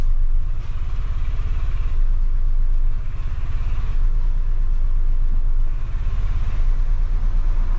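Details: Audi 1.8T on a track day after DTC 17743 cut power into hard limp mode: deep, lumpy, unevenly pulsing rough idle that persists until ignition off.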